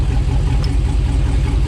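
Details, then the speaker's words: GM LS-series V8 with coil-on-plug ignition, idling, heard from under the vehicle: even burble turns uneven with lope and dropped beats as a coil is unplugged. "And checked, and what I find is cylinder 5, it doesn't make a difference whether the coil is plugged in or not. So that's my cylinder that's misfiring."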